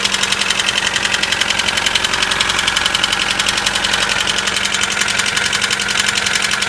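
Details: Mitsubishi 4G94 engine on cold start: fast, sharp metallic ticking knock about 220 per minute over cold idle; source unknown.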